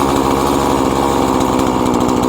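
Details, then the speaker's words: Husqvarna 340 chainsaw after carburetor diaphragm replacement, low-speed L screw set 1/4 turn counterclockwise from peak idle: steady, even two-stroke idle, fast regular buzz, no hunting, chain not turning; well-adjusted tickover. "Ja se on hyvä, terä ei pyöri. Ja ottaa kierroksia."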